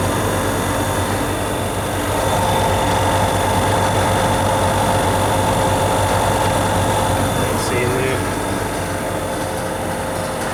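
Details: Prestcold 1/2 HP compressor on a 90-gallon Fullwood milk tank after a no-start: steady even low hum, constant pitch, no rattles; suspected start-relay contact (cleaned) or loose/broken wires, old capacitor wires replaced, running fine since.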